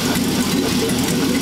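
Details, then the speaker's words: LS1 V8 in a Hupmobile after fixing a huge vacuum leak: steady, even V8 burble with no misses, stumbles or ticking; sounds good, normal idle. "That sounds good. And good. Well, you're ready to rock and roll, man."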